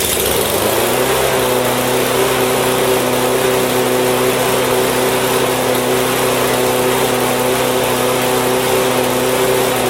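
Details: Husqvarna mower with Honda flathead engine after won't-start repair and refuelling: holds a smooth, steady buzz with even pitch for ten seconds, no misses or surging; runs healthy.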